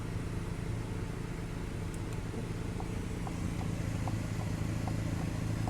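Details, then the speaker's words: Volkswagen Passat B6 Climatronic, no air from vents: faint regular clicking about three per second over engine hum as flap motor strains and another closes slowly when econ pressed. "you hear that motor trying. This one trying, and the other one closing off slowly."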